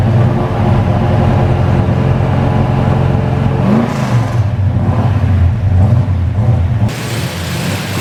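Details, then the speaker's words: Numbers-matching Dodge Charger 500 V8, revved before a drive after new brake lines: deep, loud rumble swelling cleanly with each throttle blip, no knocks or misses; normal revving, sounds healthy. "is it loud it's not that are we sounds healthy"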